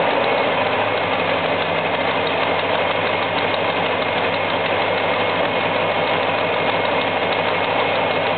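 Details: 1973 Buick LeSabre petrol V8 idles steadily with a light, fast ticking running through the engine noise; the cause is not yet found.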